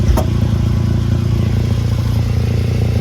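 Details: 2011 VW Golf Mk6 wagon idling with a loud exhaust: a deep rumble with a rapid, even puffing pulse about four times a second. The exhaust leak comes from a big hole in the top of the pipe at a clamped joint.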